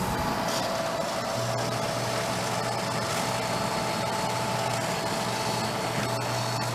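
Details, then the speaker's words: Vintage Harmon fireplace-insert pellet stove, long stored in a garage: steady low hum with even whir, no knocking or straining, as the feed motor turns the auger; normal. "that the auger turn? Yeah. So it's doing stuff. That's good."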